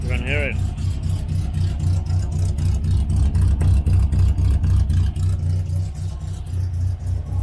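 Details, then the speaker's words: 1968 Morris Minor 1000 idling after cleaning the points, warmed slightly: fairly even low idle with occasional unevenness; much better than before but still slightly rough. "it is still not perfect but [Music] sure it's a whole lot better than before I cleaned those blocks down"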